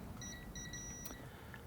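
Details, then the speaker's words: Hornby Railroad 9F locomotive tender, voltmeter continuity check from the four pickups to the tender drawbar pin and top plate: short steady high beeps confirm the pickups touch the wheel backs; one probe touch failed to beep. "And as you can hear, it's making contact. So that means that, well, that one wasn't, but it will do."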